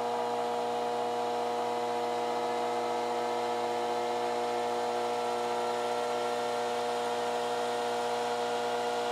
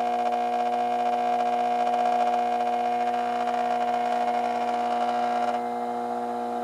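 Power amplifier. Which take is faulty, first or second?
second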